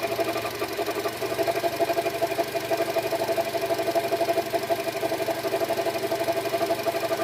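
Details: Renault H4M engine, 52,000 km, at idle: steady idle with a light fairly regular tapping knock about every half second; engine knock, cause not identified.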